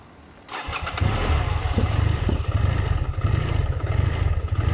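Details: BMW F700GS at idle, especially when hot with clutch pulled: fires up into a lumpy, surging, unstable idle that can stall; revs fine; faulty throttle position sensor found, replacing it fixed the bike.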